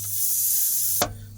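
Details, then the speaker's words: Tire punctured by a nail: a steady high hiss of escaping air that cuts off sharply, leaking at the puncture during plug repair. "I can hear a little bit of a a little bit of a noise there. Move the camera out of the way a little bit so I can actually get to it. I can hear it starting to leak."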